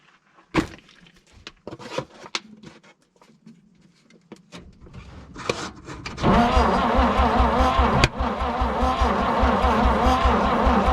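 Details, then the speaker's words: 1951 Dodge B-series truck, owned about eight months and never tried, on its first start attempt: scattered pops and spits while cranking, then a rough, lumpy run. Misfiring and popping, with ignition timing suspected but not confirmed. "it could be that timing still yeah you heard that right like it's firing off it's popping yeah yeah i just hope it doesn't pop too much and explode this in my hand"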